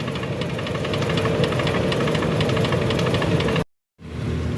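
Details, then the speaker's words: Suzuki Wagon R (2015/2017), engine misfiring, losing power on revving and vibrating, scanner codes read; uneven stumbling idle with shaking; parts found oily, to be cleaned; misfire with rough idle. "Race लेना भी छोड़ रही है और vibrate भी कर रही है"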